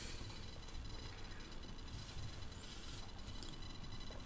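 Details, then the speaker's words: PC speakers through an amplifier with no audio playing: a constant low hum with faint fizzing hiss, the computer's own noise coming out of the speakers; software checks fine, so the fault is suspected in the audio hardware; mic repositioned. "Questo è quello che si sente in uscita delle casse e non sta andando audio Eh non c'è Player Questo è proprio il suono del computer che esce dalle casse"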